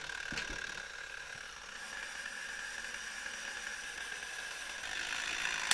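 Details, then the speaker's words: 1972 Zelmer SC hand dryer, cover removed, spring-wound automatic timer (about 2 minutes): faint quick escapement ticking running down, then a sharp click near the end as the switch opens and the dryer turns off. Normal. "O, teraz było wyraźnie słychać. On się teraz rozłączył, czyli teraz on jeszcze się tutaj, ta sprężyna rozwija, ale w tym momencie już powinna być suszarka wyłączona."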